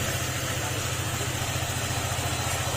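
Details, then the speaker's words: Honda ADV150 after block and fuel pump replacement and ECU error codes cleared and reset: smooth, even idle with a steady rapid beat, correct idle speed, no knocking or ticking; normal idle. "saktong-sakto lang yung engine speed niya mga sir ha yung Menor niya yan Saktong sakto lang yan yan Kik na uli siya Hindi na siya nagtat tangtang"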